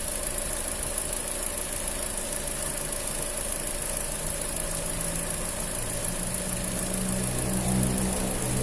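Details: Fiat Punto 1.4 at idle: even idle with a quick ticking of about four beats a second and a thin high hiss, coming from the accessory (auxiliary) belt.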